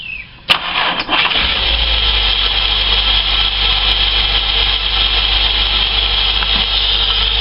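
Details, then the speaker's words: Holden VS Commodore after spark plug change, throttle body and intake cleaned, cold start: quick crank, catches cleanly and holds a high cold idle, smooth and steady with no more missing; normal cold start. "so it's got a high idle because it's um it's actually cold start let's go over here and let's see what the tailpipe that sounds a whole lot better see no missing anymore"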